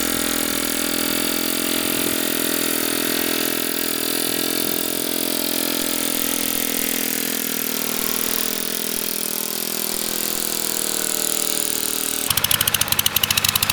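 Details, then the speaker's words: Kohler K301 12 hp single-cylinder engine, first run after rebuild with new gaskets: steady chug at fast idle, slightly rough and uneven, running rich on choke, then cuts out, likely out of fuel; leaking fuel and possibly some oil. "It ran pretty good. It was running choked. Definitely have to do something about that."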